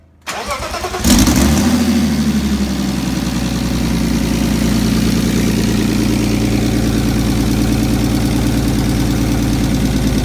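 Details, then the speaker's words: Turbo S52-swapped 1990 BMW 318i E30 touring, first start with a partial exhaust (downpipe) fitted after catch can and turbo hardware work: short crank, catches cleanly, flares then smooth even idle, no misfire; oil draining from the drain looks good, normal start and idle. "neutral oil coming out of the drain that's good sounds good"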